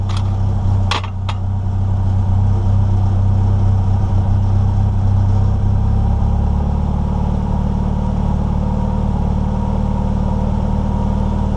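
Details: NA Mazda Miata after air flow meter tuning and idle screw adjustment: a couple of clicks, then the idle settles to a steady, even low hum with no hunting or dips; idle normal.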